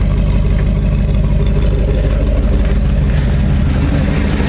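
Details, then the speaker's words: 1968 Ford F250 390 FE V8 after a Pertronix Ignitor replaced the points, idling about 650 rpm with timing advanced slightly for altitude: strong, even low rumble with steady beat, no misses or knocks, running healthy. "Okay, those Pertronix ignition systems are really nice. Damn, that sounds good."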